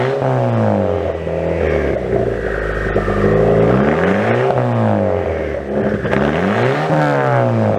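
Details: Car with new downpipe, flex pipe and resonator-style test pipe fitted to cut exhaust drone, tips not yet fitted; revs climb and fall smoothly through blips, even note, no drone, rattle or misfire – normal revving.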